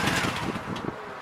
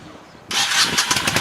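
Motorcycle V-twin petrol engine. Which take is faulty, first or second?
first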